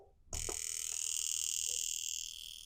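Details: Honda VTEC Bug fuel injector being cleaned and bench-tested on a kit with pressurized solvent at 60 PSI: fast, even, crisp clicking over a steady whine; normal fuel injector operation.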